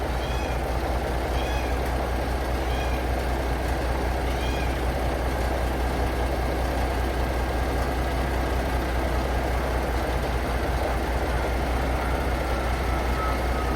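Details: Paystar truck diesel just restarted after radiator reassembly with new gaskets, idling while building air (about 70 psi): firm even low rumble with a few light air chirps, no misses or knocks, not leaking; normal idle.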